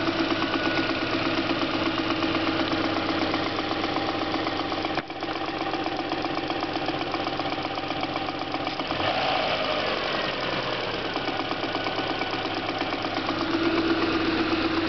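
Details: Subaru EJ22 flat-four at idle, 235,000 km: steady light knock about four beats a second; owner suspects piston slap, origin unclear.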